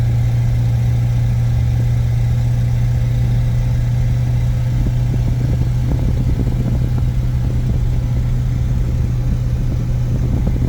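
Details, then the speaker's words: 1950 Buick Super straight-eight OHV automatic cruising about 55 mph: steady low drone with a raspy, puffing edge on the exhaust note from a leaking exhaust gasket, which the owner plans to fix. "oh I can't wait to fix that exhaust gasket now"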